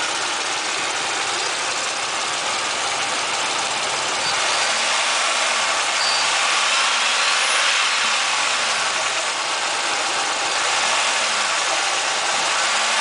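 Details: Chevrolet Monte Carlo LS 3100 V6 cold start: quick, fairly even light tapping over a hissy idle; top-end noise present for years, quieter but persisting when warm; owner suspects piston slap or lifter tap.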